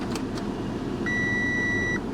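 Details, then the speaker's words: Audi Q5 Quattro with 131,000 miles, running poorly, ignition on with climate on auto: one steady high-pitched dash chime about a second long over quiet cabin hum, parking brake malfunction warning, though parking brake tested and worked. "let's turn it on uh on auto let's get that air conditioning going make sure it works yeah I already feel air conditioning works great parking brake malfunction uh oh"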